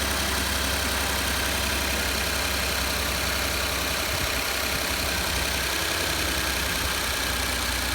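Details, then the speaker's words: 2012 Ford F-150 XLT 3.5L twin-turbo EcoBoost, about 64,000 miles, cold idle after exhaust manifold gasket repair: steady even idle, only light quick injector ticking, no exhaust puffing or tapping; sounds much cleaner than before. "did now really the only thing that I'm hearing are the the injector's opening up"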